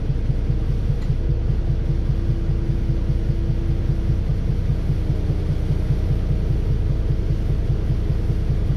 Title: 🤶🤶*Engine knocking* First leeds 69417 YJ09 FXE Volvo B7RLE